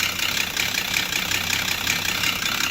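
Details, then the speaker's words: Volvo XC90 at idle, scanner shows cam position too high, exhaust too high: sharp, regular ticking knock about five times a second over a rattly, diesel-like idle; timing belt suspected jumped at the crank, belt found badly cracked. "yeah so that probably means time and belt has jumped at the crank"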